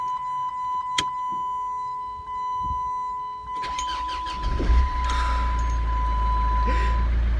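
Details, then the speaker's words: 2003 Chrysler PT Cruiser CRD diesel, first start after replacing the alternator and serpentine belt: brief crank, then it catches and settles into a steady even diesel idle, no squeal or knock; runs healthy. "can I say you've never even no idea how happy I am to hear the noise of this get on starting again just absolute yeah yeah"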